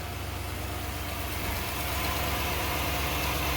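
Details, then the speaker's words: 1996 Ford 5.0 V8 from a Bronco, bound for a 1978 Ford: an earlier problem is now barely present, and an oil change is planned; smooth, even idle burble, no knocks or ticks, purring; normal idle. "Oh yeah, we're perfect. Just do an oil change and... She's purring like a kitten."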